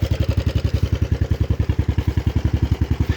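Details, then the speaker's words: 1988 Yamaha Big Bear 350 four-wheeler, carburetor gone through, smokes heavily but 110 psi compression: single-cylinder idle with sharp, loud, raw thumps about eight per second; loud idle through a rusted-out exhaust doing little silencing. "can tell the exhaust, it's been, as usual, they kind of rust out. I'm sure it's not doing a whole lot."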